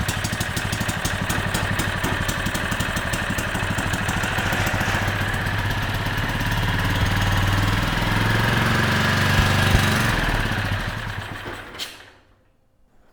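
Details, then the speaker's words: Generac 3500 W generator (model 01313-0, GN220 engine) after topping up low oil: fires and chugs unevenly at low lazy speed, never reaches governed speed, dies after twelve seconds; heavy smoke; generator output works, cause not confirmed. "I guess on the good news side uh the engine sounds good although it didn't really get up to speed and the generator is working that light turned on"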